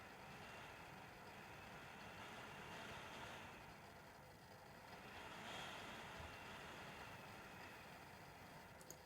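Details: Nearly new (two months old) Dell WD19TB USB-C laptop dock, computer mostly idle: its internal fan randomly surges from 0 to 100 percent with a whooshing swell and fade, plus occasional faint electrical clicks.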